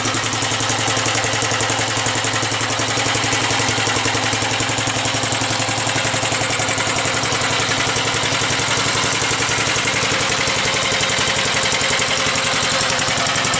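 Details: 1945 Gravely Model L single-cylinder tractor runs after being strap-started, with a crisp, even slow putter and no misses; the starter struggled because the gear was engaged. Normal idle.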